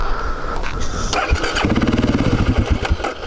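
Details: BMW 650 X-Moto supermoto just after refuelling, about 2 km ridden: catches after cranking, then a lumpy idle that surges and sags and dies. Owner suspects wrong or bad fuel; the fuel pump is not heard priming.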